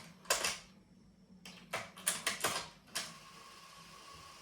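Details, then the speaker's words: Sony TC-WR670 dual cassette deck in for repair: a few clunks as the mechanism engages, then a faint smooth whirr of reels in fast forward, which works normally. Forward play lacks strength, and the belts likely need replacing. "Перемотка вперед працює."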